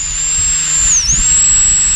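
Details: Fuel pump from a long-abandoned, water-swamped Sea-Doo, bench-tested on a battery after being freed from a locked-up state: steady high whir near eight kilohertz, dipping briefly then recovering; pump spins smoothly and evenly.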